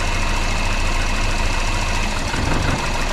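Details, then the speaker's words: Volvo 480 petrol engine that sounded diesel-like; HT leads pulled one by one to test each cylinder: the idle turns lumpy, shaky and uneven with each lead removed. Rough running with one cylinder disabled. "Yeah, that runs very rough. Now, what about this one? Yeah, definitely a change. Very rough now."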